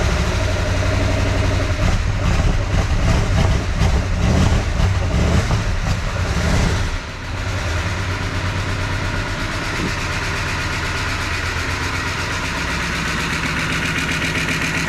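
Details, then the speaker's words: 1988 Dodge Power Ram V8 revived after sitting 23 years, new aftermarket air-gap intake fitted; uneven lumpy idle with stumbles smoothing as it runs, milky oil, water from exhaust, oil pressure present; owner unsure one cylinder's rings will recover. "Starting to sound a little better. Oh, it's awful milky. It's starting to sound better the more it runs."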